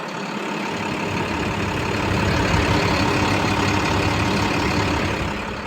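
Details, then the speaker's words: 2008 International 4300 dump truck diesel, 20,000 original miles, low engine hours: steady, even idle with smooth low rumble, no knocks or misses; starts right up and sounds healthy. "The engine sounds healthy. Like I said, starts right up and no issues."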